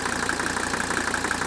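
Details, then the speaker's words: 1985 Mercedes 300TD wagon, used replacement engine, just started after a short glow: crisp, even ticking clatter about six beats a second over a steady idle, like the 300SD, no irregular knocks; normal diesel idle. "you can hear that distinct rattle of the engine that idle"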